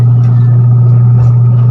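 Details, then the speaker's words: Washing machine that only hummed without spinning now spins the tub with a steady, even hum; the timer works fine. "Ayan guys Yun oh umikot na t saka timer Okay na yun nakita niyo guys"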